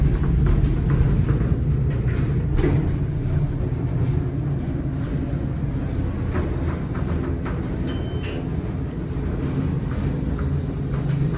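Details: Horizon hydraulic elevator installed 1964, Rye City Hall, Rye NY: a loud low rumble with irregular rattles and thumps through the whole ride. Noisy, shaky ride; cause not clear.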